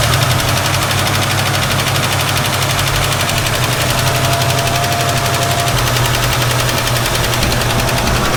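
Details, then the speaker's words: 1967 Ford Mustang V8, carburetor suspected to need rebuilding, cold and idling rough on heavy choke: fast light ticking over the rumble, first taken for valve tick but later traced to a loose rattling PCV valve. "Still one heck of a valve tick, but maybe that'll go away."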